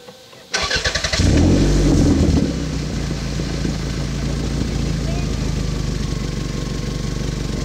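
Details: 1991 Toyota Celica GT Convertible after exhaust leak repair: petrol engine cranks briefly, fires, flares, then settles into steady even idle with no exhaust puffing; normal start and idle.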